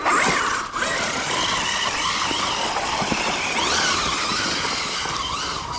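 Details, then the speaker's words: Losi Super Baja Rey 2.0 1/6-scale RC desert truck on dry dirt: even electric motor whine swelling and easing with throttle, no catching or scraping after a part that was catching was folded out of the way; now runs smoothly, normal running. "it's happier now I bet that was it"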